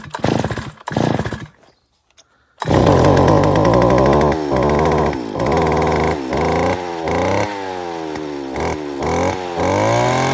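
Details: Stihl FS 250 R brush cutter after primer bulb replacement: a few pull-start attempts, then two-stroke fires and runs strongly, blipping up and down cleanly without stumbling; running properly.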